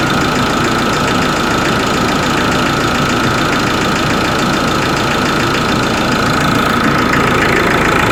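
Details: Ford Ranger 3.0 Limited diesel, cold engine: idle with fairly quick uneven knocking about three per second over diesel clatter; cold-engine knock, cause never found by mechanics or injection pump specialist.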